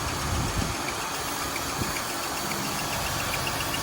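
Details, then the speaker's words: Newly bought car with suspected power steering leak or whine and recent oil change; engine idles with a steady rough hum and an occasional hiccup-like stumble, cause unknown: intermittent hiccup noise at idle. "power you talking about like the hicups sounding noise right that noise right there oh yeah no"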